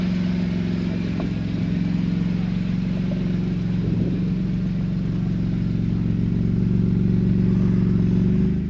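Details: Vauxhall Calibra 4x4 from the 1990s, converted to a 2.5 V6, belts and oils all freshly done: steady even low hum with a regular firing beat, no knocks or misses; normal healthy idle.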